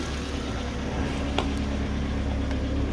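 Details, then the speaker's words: 2005 Mazda MX-5, 1840cc petrol, manual, idling after a drive belt replacement for a battery not charging, with the earth lead taken off: a steady, even low idle with no knocks or misses, confirming the alternator is charging. "see neutral ca's off as you can hear the engine still running fine so yeah your battery should be charged in no time and you should be good to go"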